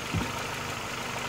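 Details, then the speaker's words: Audi A3 8P1 1.6 (102 CV) four-cylinder idling right after replacing all four spark plugs (NGK BKUR6ET); before, a bad plug caused heavy vibration, burnt smell and jerky acceleration. Now quiet, even idle with no shake: normal running. "arrancamos el coche y vemos que ya suena muy distinto y ya no vibra como antes vale ya es una cosa más normal"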